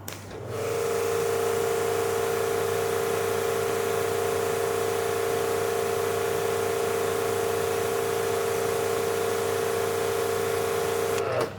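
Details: Active 3.0 pressure washer (rated 3 GPM), PSI test with 0° nozzle (true 6.3 orifice) reading 878 PSI; steady, even mid-pitched hum holding level through the spray, no surging or rattles; healthy under load.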